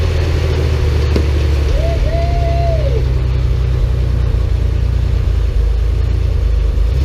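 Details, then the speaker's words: Porsche 911 flat-six restarted after 10 years of storage, with a new fuel pump and filter, a temporary fuel supply hose fix and a cleaned tank. Steady, even low rumble at idle with no misses, knocks or rattles, smoother than expected; normal idle. "Smooth, really. Much smoother than I thought for not having run in. Odd that this ends so quiet when something's running."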